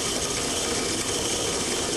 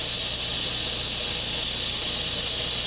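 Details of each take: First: as we increase the pressure drop to approximately 75 to 80 psid a moderate level of cavitation exists notice the frothy occurrence of the water just downstream of the valve the sound pressure level under these conditions is approximately 100 vba Second: we've again imposed a 70 to 80 psid pressure differential across the valve however at this higher inlet pressure of 200 psig cavitation does not occur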